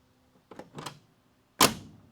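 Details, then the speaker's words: 1969 Dodge Coronet 500 sedan (318 V8, 904 auto) under restoration, door closing: a couple of soft thuds then one crisp latch clack; clean single catch showing the door is lined up and not sagging. "Hear that noise? That's just the sound of the latch."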